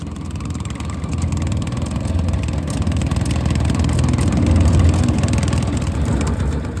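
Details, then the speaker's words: Honda GX160 on a Logic MSC120 sweeper: a rough idle running as if on choke, with black smoke (blocked air filter suspected). A light, irregular clacking of about three a second comes from a slack drive chain. "But it sounds awful. If you listen very carefully, you can hear that clickety clacky sound coming from around the engine."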